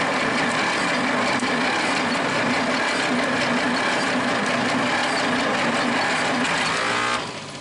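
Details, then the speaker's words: Worthington truck/tractor, possibly a 1947, with Chrysler industrial 218 flathead six, first start attempt after sitting for decades: long steady even cranking, never fires. Owner suspects low compression and vacuum from sticking valves; crank no start. "Okay, folks, we're having trouble getting this thing started. I don't think we've got enough compression."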